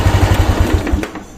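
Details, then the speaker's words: Honda Wave 110i injection motorcycle after repair of its ECU (pump ran but no spark): small single-cylinder putts evenly about ten beats a second before fading, no misses; normal idle. "นี่เรียบร้อยติดเลยครับผมพร้อมส่งกลับครับผม"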